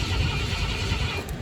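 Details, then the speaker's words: 1972 Ford F-100 Ranger XLT, stored 10+ years, cranked from the cab via a jumper across the neutral safety switch wires: low uneven churn that never fires; crank no start, no ignition power reaching the coil. "but it's not starting so okay so that's one of the problems taken care of but why are we not getting uh any power to the coil"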